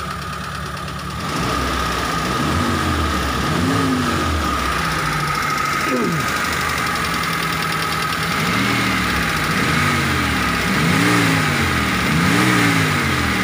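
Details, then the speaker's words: T120SS fuel-injected car after the dented oil pan was repaired, engine revved from idle: clean rises and falls with no whistle; the shriek came from the oil pump pickup touching the dented pan and is now gone. "oke bro suaranya hilang ya suara serulingnya sudah tidak ada"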